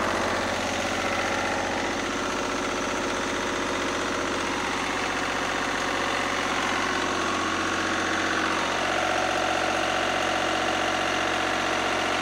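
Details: Lister diesel generator (#2), run after plumbing a new fuel system from the converted 20-gallon former oil tank and fixing leaks: slow, even thump holding a constant speed with no misses or stumbles; runs healthy, with no drips.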